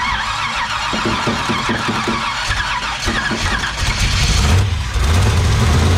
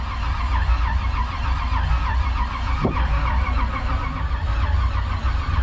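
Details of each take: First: Rough idle on a 1968 Chevy Bel Air small block, self-built, first start after 8 years sitting: cranks and catches, then surges and drops in uneven waves, hunting to settle; oil pressure about 30 psi at 2,000 rpm. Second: 1968 Chevy Bel Air small block, sitting 8 years, cranked on a jump starter while watching for oil pressure: steady starter-driven churning with an even low beat, no firing; turns freely.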